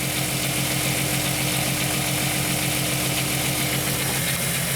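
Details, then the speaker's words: 1998 VW Eurovan, warmed up, hood open, engine visibly shaking: uneven loping idle stumbling about twice a second; cylinder 4 misfire (P0304, P1216). "can't see it much this engines definitely shaken I've come I can see it without I don't look at the camera but see if I can hold this feel and if there you can kind of see it shake in there"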